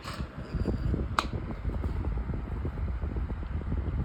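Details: White Pelonis table fan, long unused, running fast on high: soft hum with irregular light rattles and knocks; the warped blade is badly out of balance, shaking the fan.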